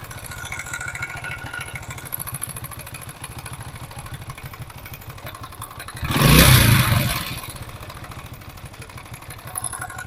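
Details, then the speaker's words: Motorcycle engine at idle with a throttle blip: loud metallic chatter that swells with revs, a slack cam chain from a weak tensioner, to be cured by fitting a spring. "तो आवाज देखी आपने कितनी ज्यादा खतरनाक आवाज है। आवाज हम खत्म करेंगे सिर्फ ये स्प्रिंग लगा के।"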